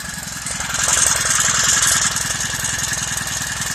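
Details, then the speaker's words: Honda GXH50 49cc four-stroke, unrestricted with Honda flywheel and ignition coil, run before the clutch install: crisp even firing around three to four beats a second, steady and clean with no misses or knocks; healthy engine. "It's spinning. Oh, it sounds so nice. Listen to that. Yeah. That's the way the motor's supposed to sound like."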